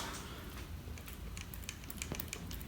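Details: Panasonic Lumix GH5 camera body makes a light, irregular clicking rattle with each shake; persists after removing microphone and Gorillapod; something loose inside, owner suspects the floating sensor.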